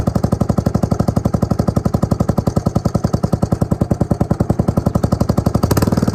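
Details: Suzuki LT250E Quadrunner single-cylinder quad after new fuel pump for fuel starvation and idle problems: steady even thump about four beats per second with clean throttle blip near end; running smooth, fixed.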